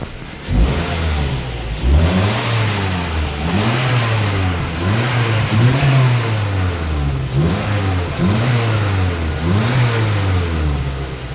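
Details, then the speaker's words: 2004 Mazda 3s, 2.3 L naturally aspirated, code P2188 running rich: repeated revs from idle with a rough, burbling exhaust note; owner suspects unburnt fuel from a faulty aftermarket mass airflow sensor, before cleaning. "I think what's happening is so much unburnt fuel is going through the exhaust that it's making kind of a weird noise, so I'll kind of show you that right now."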